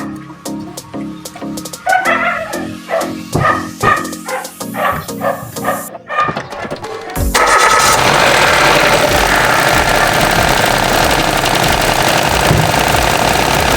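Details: Car with a newly installed serpentine (drive) belt driving the alternator, water pump and A/C compressor, started to test the install after replacement to cure squeal: after background music the engine settles into a smooth, even run with no squeal or chirp; the belt drive sounds healthy.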